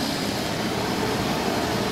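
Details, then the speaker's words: Kerosene/diesel forced-air heater on a modified sine wave inverter, about 125 V under load, 1.6 A, 110 W: constant even fan and burner roar, no sputter, pulsing or rattle; running properly, good heat. "it's a is running as far as I can tell exactly the same as it does off the wall power on this modified sine-wave burger is throwing up good heat"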